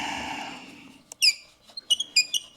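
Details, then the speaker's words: Mercedes W126 heater/AC blower motor, removed from under passenger-side dash and spun by hand, gives sharp intermittent chirps and squeaks each turn; dry squeal, exact source unknown, owner tries transmission fluid as lubricant. "not sure where that squeaking is I'm just going to try to put a little transmission fluid right here"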